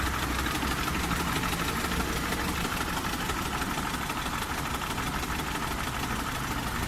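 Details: Car engine knocking at idle; light, fairly regular knock about three times a second over the hum, source not yet identified.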